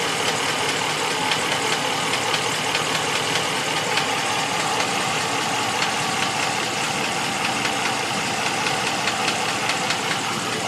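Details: 2014 Ram 1500 V8 at idle: a light, fast ticking knock rides over a steady, busy mechanical clatter; the owner calls it a valve train knock, cause not confirmed.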